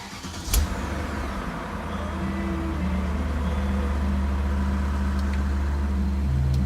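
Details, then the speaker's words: BMW E39 M5 V8 on the lift, first start after fresh oil change (7 quarts 10W60) and fitting low-mile take-off mufflers replacing holed factory ones; catches with a sharp burst, then deep steady even idle that shakes the car; normal cold start and idle. "Anyway, I've actually never heard this car with mufflers. Engine sure shakes the car. Sounds good. Much more dignified, I like it."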